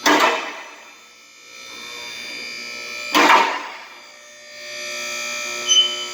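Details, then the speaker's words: Newly replaced lift motor running: steady, even electric hum with a couple of lift clunks; much quieter than before, smooth and healthy. "That's a lot quieter. That's awesome. That thing sounds good. Oh, about to click. Oh, that sounds beautiful."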